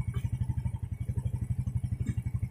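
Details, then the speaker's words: Yamaha Jupiter Z carbureted motorcycle with a hard-starting complaint, after its carburetor idle screw, set three turns too tight, was backed out three turns: an even, steady low putter about eleven pulses a second with no misses. Normal idle. "untuk hidupnya enak ya langsam enak jadi setelan yang dari bengkelnya kemarin itu kekencangan ya kekencangan tiga putaran ini saya kendori 3 putaran ke belakang ini normal ini"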